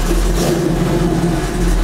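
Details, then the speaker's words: 1984 Chevy C10 started after a long sit while checking a new electric fan and cooling setup: steady low rumbling idle with a deep even exhaust beat and slight raspiness. The muffler is worn, though the sound isn't bad at all. "though the muffler is a trash oh it's it also have bad though not at all"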